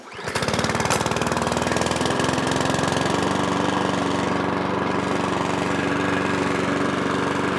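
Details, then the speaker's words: Small engine with broken throttle cable, choke forced by holding cable: small single-cylinder engine fires and settles into fast, slightly uneven beat, running only on full choke; carburettor needs work. "a bit of carburetor work but when you force that to choke which is there by holding my cable it runs so someone threw it out because the throttle cable it's just a bit Dicky"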